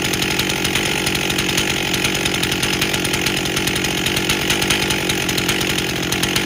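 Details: 1998 Stihl 044 Magnum chainsaw, freshly rebuilt, first run with 25-inch bar, max 14,000 rpm: screams at high revs with slight stumble as throttle opens; bogging on throttle, owner suspects it may be running a bit rich.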